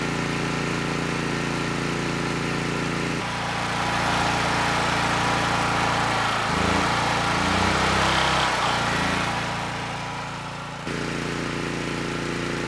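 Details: Honeywell HW5500 5500-watt generator, 337cc engine, after new Hipa carburetor, replacement tank and old gaskets (insulator issue found), load test; note deepens slightly as load comes on, then settles evenly without hunting or misfires — normal running under load.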